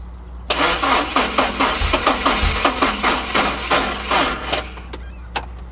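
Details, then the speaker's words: 1986 Porsche 944, long-stored, last registered 2006: slow laboured cranking about two and a half turns a second that never catches; battery super dead, dragging the starter. "Ooh, she's dead, but it's coming back. I just got to get a little bit of charge in the battery, and I'll give her a shot again."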